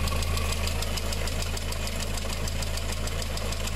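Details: VW engine with timing chain, idling: a light, regular tick about three per second over a smooth idle. Hydraulic lifters tick because coolant has mixed into the oil through an early-stage blown head gasket.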